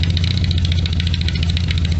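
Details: 1973 Triumph Spitfire MkIV 1500 with blown head gasket (white smoke, slight grey mayonnaise in filler cap, coolant drained and flushed, possibly burning some oil): lumpy uneven idle with heavy low thump and irregular beat, engine hunting; rough running.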